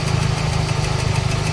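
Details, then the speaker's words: Toyota Baby Altis (EE110) with a 2E engine at idle after a carburettor replacement. Rapid, even light ticking rides over a rough low idle, a loose rocker pivot clattering in the head; a loose pivot was found, and valve clearance is suspected to be excessive. "Nakita ko na kung ano 'yung maingay. Ah hugot 'yung pivot niya."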